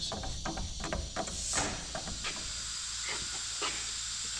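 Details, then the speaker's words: Newly installed DeWalt 60-gallon shop air compressor, PEX air lines pressurized for the first time: steady sharp hiss with handling clatter; air leaking at threaded fittings sealed with Teflon tape, apparently wrapped incorrectly. "all right so we're 0 for 2 coming out of the gate so we're going to have some work to do to tighten some stuff up but we're going to go ahead and kick the air on to the lines i hear some leaks"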